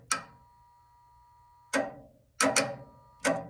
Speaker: you hear that click that's a magnetic field being created and the contactor being moved to the other side of that relay position